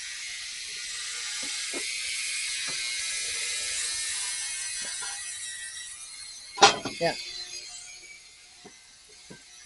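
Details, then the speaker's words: 12-year-old Harbor Freight compactor being restored, running a 10-minute cycle: hissing run with irregular clunks and a sudden loud rattling burst midway; something loose inside, cause not yet clear. "sounds like it's going to blow up anyway all right I'll bring you back when it's done"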